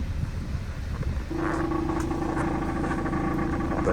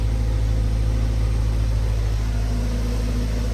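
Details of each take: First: 2015 Subaru Forester at idle: a loud, uneven putt-putt from the tailpipe with a deep rumble, from a bad muffler due to be replaced with a Walker Quiet-Flow. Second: 2015 Subaru Forester after replacing the muffler with a Walker Quiet-Flow: steady, even low rumble with a smooth exhaust pulse on idle and rev, no rattles or puffing leaks, normal and quiet. Before the repair it was a loud putt-putt.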